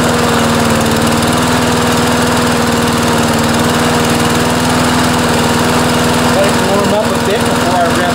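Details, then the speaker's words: Briggs and Stratton auto-choke lawnmower engine with replaced aftermarket carburetor at full throttle: steady, even drone but revs sit lower than they should; governor spring too slack, fixed by bending the linkage loop to tighten the spring. "so you can hear on full speed it's not quite revving up as much as it should so this is what we do to fix that"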